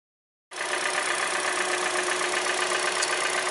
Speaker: is a 2014 Hyundai Elantra with a 1.8 liter engine in it. And that tapping noise is called piston slap.